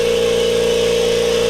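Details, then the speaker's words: New Kobalt Quiet Tech 26-gallon 150 PSI single-stage electric air compressor, first run: steady, even mid-pitched hum, no knocking or rattle; running smoothly and very quiet. "I'm not talking any different than I was before, except for a little bit of excitement in my voice. I don't even know what to say about it. I can barely hear it compared to my old air compressor."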